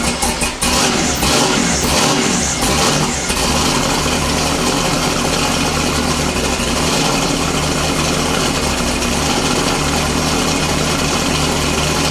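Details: LS-swapped Foxbody V8 after fixing a stuck relay and a loose starter solenoid wire: catches after a short crank and settles into a steady, even idle with a deep low rumble.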